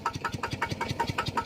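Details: Engine-driven piston pump started after its crankshaft set was re-oiled to fix a loud knock from lack of lubrication: even, steady thumping at about five beats a second with no knock or rattle; normal running.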